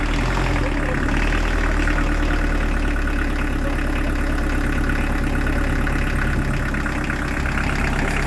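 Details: Newly fitted Beta Marine narrowboat diesel idling just after its first ever start: steady clatter, even beat around four per second, no misfire or stumble; normal healthy idle.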